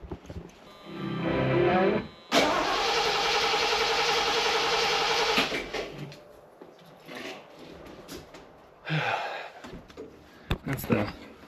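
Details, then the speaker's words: 1976 Ford Thunderbird being revived after 30 years sitting, tank nearly empty, won't pull fuel through filter: starter cranks steadily about three seconds, engine never fires; crank-no-start, suspected fuel starvation, may need more gallons of fuel. "It's just not pulling anything. So, I think we got to put a few more gallons in it."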